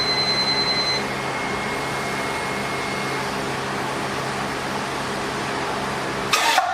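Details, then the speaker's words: MR2 build, 850 hp engine, cranked to build oil pressure: slow uneven cranking about three beats a second with a thin high squeal. The squeak was air pushing on the coils from the empty spark plug holes; harmless. "That squeaking noise was air pushing up on the coil because I forgot to put spark plugs in there."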